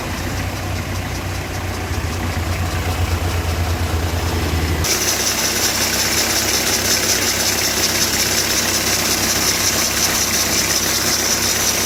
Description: Así suena un rodamiento que hay cambiar en la correa del alternador, en este caso lo producía el rodamiento del tensor de la correa auxiliar o de servicio, es una Citroen Berlingo 2.0 hdi